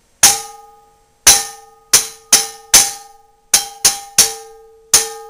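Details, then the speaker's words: Old Wagner cast iron frying pan, possibly 1890s, with at least three rim cracks found after an oven carbon burn-off. Struck repeatedly, it gives short, dull rings with a rattly buzz instead of a clean sustained tone: a cracked pan. "And I just wanted to ring it so you can hear what it sounds like. A crack. It's going to buzz like."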